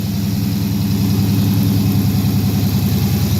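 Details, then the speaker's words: 2017 Dodge Challenger Scat Pack V8 just after aFe GT Momentum cold air intake install, no check engine lights: deep, even idle burble with a slightly throatier intake note, no misses or knocks; healthy, with a different tone. "Sounding good. Definitely has a different tone to it"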